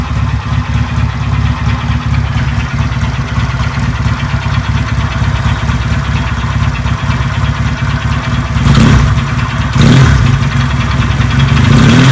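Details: Benelli 250 motorcycle, owner complains of noise: rough idle with an uneven low knocking inside the engine, sharpening on throttle blips, like parts striking inside; a connecting rod knock.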